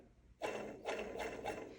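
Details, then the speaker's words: Hand-spun crankshaft bearing from a disassembled KD 175 engine during rebuild gives a gritty, grating rumble that swells and fades. Rust is on the cage and along the outer race. "um the crank bearings that one is very noisy if you can hear that"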